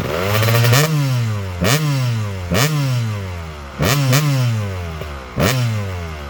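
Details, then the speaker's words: Freshly restored Kawasaki KX250 two-stroke with sleeved cylinder, first run: crisp throttle blips about once a second, revs snapping up and dropping cleanly back to a ringing idle; sounds awesome and snappy; normal idle and revving. "It really sounds awesome. Man, it sounds like it's really snappy, too."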